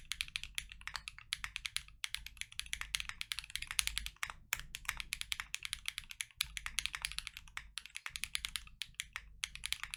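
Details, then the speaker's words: Full typing test on lubed KNC Keys Tofu Linear (R2) all-nylon long-pole switches in a Freebird60 (gummy O-ring mount, POM plate, silicone dampener, polyfil): fast, even, muted, full-bodied clacks, five to ten a second, no rattle or ping. Normal typing. "I'll leave you guys with a full typing test."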